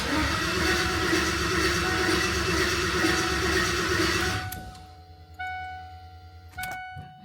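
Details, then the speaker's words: New LS V8 in a 1988 Ford Bronco swap, first start attempt: starter spins the engine evenly for four seconds but it never fires; VATS anti-theft was not deleted in the tune. "So we were just cranking on this thing and wondering why it ain't firing and realized nobody deleted the VATs on the tube."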